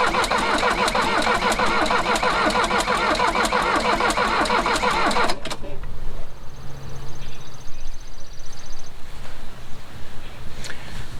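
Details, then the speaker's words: Mercedes 240D OM616 diesel that sat 15+ years with sludgy fuel, first start attempt on a rigged-up battery: long even cranking that never fires, likely fuel-starved; injector lines then cracked and fuel found. "That's pretty much what I thought would happen. So we'll probably crack some lines on the injectors, see if we can get the prime bulb working anymore, and try it again in a minute."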